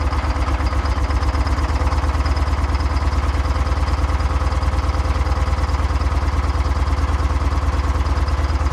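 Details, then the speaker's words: Detroit Diesel 6V92 two-stroke bus engine, cold start during a Seafoam injector-cleaning hot soak: deep thumping idle, a little over two beats a second, rich with unburnt diesel coming out. "fire it up again and see what happens just all unburnt diesel coming out"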